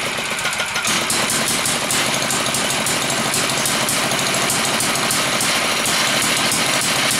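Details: Villiers MK10 two-stroke engine, two sparks per revolution, test run: fast, sharp crackling pops at about three per second, uneven but sustained, with a loud open exhaust. Running freely.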